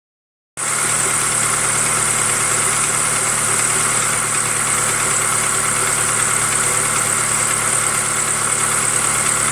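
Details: 2005 Jeep TJ 2.4L Powertech starts and idles with a faint, loosely regular knock near three a second under a hiss; suspected piston slap on cylinder 3, unconfirmed.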